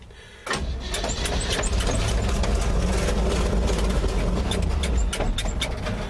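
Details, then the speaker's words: 1955 GMC Deluxe Cab 350-Series V8 truck, sat about five years, primed: fires and runs roughly a few seconds then sags and dies; running out of gas, transparent fuel filter by carburetor still empty. "yeah that's the sound of an engine running out of gas no gas in that fuel filter as of yet"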